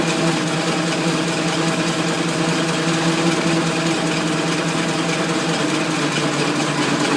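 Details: Ford Model T four-cylinder, started after 40+ years: it ticks over at a steady, even idle with a light mechanical clatter and no missed beats; it runs healthy.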